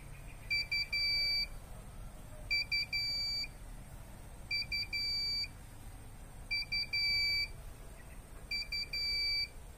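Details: Prepaid electricity meter low-credit token alarm: short bursts of high beeps repeating about every two seconds in a quiet room.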